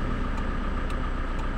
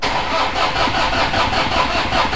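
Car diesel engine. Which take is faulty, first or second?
second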